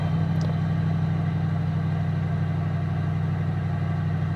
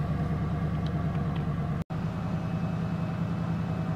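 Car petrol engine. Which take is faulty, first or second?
first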